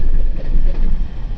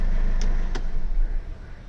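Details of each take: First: Mercedes CLA 200d diesel restarting at a stop via start-stop: rough start with deep uneven rattle, no check engine light; gearbox opened showed worn dual-mass flywheel with play. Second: Mercedes CLA 200d diesel, engine start-stop restart at a stop sign after repairing a flywheel rattle at start-up and low-rpm idle. Even, low rumble with a couple of faint clicks and no rattle; the problem is solved.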